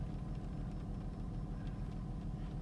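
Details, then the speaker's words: 2004 Honda Pilot after replacing the bank 1 sensor 1 oxygen sensor (P0132) and clearing codes; steady, even low idle with no stumbles. Previous random misfires and rough idle now gone. "now it seems to be running fine I'm just going to do a other ignition off so that the BTM would be clear okay I think it's idling better now no rough idle"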